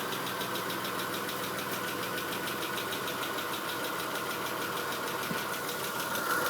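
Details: Chrysler Stratus/Cirrus 2.5L after a Gates timing belt kit, Champion plugs gapped 1 mm and new intake/EGR gaskets, power steering belt not yet fitted: fast, uneven ticking over an unsteady idle. During the belt install the rear camshaft slipped 1/4 turn clockwise.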